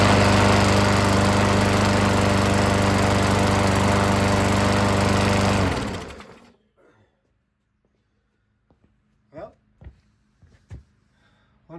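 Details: Revived Craftsman push mower, Briggs & Stratton 5.5 hp, on/off only with no throttle, air filter off: runs at steady even speed about six seconds, then shut off and spins down; sounds healthy.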